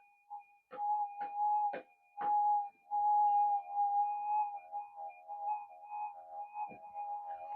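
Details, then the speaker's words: Minelab GP 3000 metal detector after a repair of its blown input stage. Steady mid-pitched hum with a few sharp clicks, the tone never swelling; sounds like it works but does not respond to targets; cause unknown, to be checked with an oscilloscope. "well I thought it was working sounds like it's working but it's not actually working why is that"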